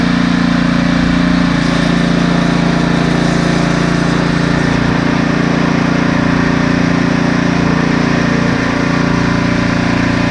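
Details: Husqvarna ST332 snowblower that had trouble starting, oil black and smelling of gasoline: steady even engine note at one speed, no misses, surges or knocks; running normally.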